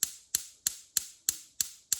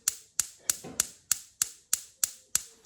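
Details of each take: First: LPG cooker hob burner: igniter ticking about three times a second with no flame lighting; no gas supply, traced to water in the cylinder regulator, replaced. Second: LPG bottle-gas hob after replacing the cylinder regulator and purging the pipe: sharp, evenly spaced igniter clicks at about a hundred a minute, with quiet gas light-off between; sparking and lighting normally.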